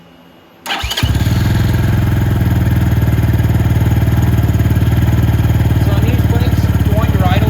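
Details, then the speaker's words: Venom X22R Max 250cc fuel-injected motorcycle, idle set by a screw on the throttle body and judged perfect without adjustment. Starts at once and settles into a steady, even low putter with no misses or knocks. Normal idle. "The idle on this bike is perfect. I can turn it up, but I don't really want to."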